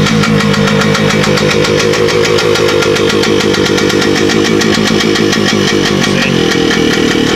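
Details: Carbureted RT motorcycle just revived, fuel petcock still to sort: loud choppy idle with popping beats wandering in pace, won't take gas; owner suspects carburetor needle not lined up with its hole, but it idles.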